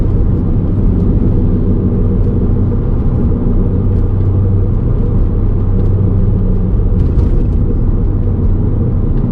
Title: 【Golf R32】ハブベアリング異音 ゴロゴロ音 【Long Ver.】 VolksWagen MK5 R32 Hub Bearing Noise